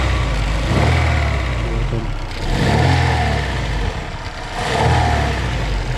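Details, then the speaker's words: Daewoo Lanos engine knock, owner says it has knocked about two months, worse under load and when hot, less when cold: revs swell and fall with a deep, dull knock under the roar; mechanic suspects crankshaft bearings knocking. "мое предположение что это постукивает коленвал"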